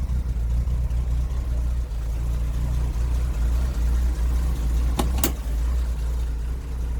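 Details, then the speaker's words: 1973 Jaguar XJ6 Series 1 Daimler Sovereign 4.2, first cold start since Christmas, now off choke. Low, steady, even idle around 600–700 rpm with no knocking or ticking; runs smoothly and normally. "yeah she's off choke now listen there you go there you go running about 600 reps now yeah about 700 Rev she's about right"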